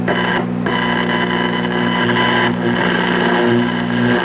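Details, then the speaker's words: 1958 Emerson model 895 AM/FM tube table radio, estate-sale set; steady low buzzing hum under the station audio, unchanged with programme; suspected filter capacitor or shorted tube, not confirmed. "and as you can hear we have our trademark filter capacitor home or either that or a shorted TV we'll figure it out as we go along"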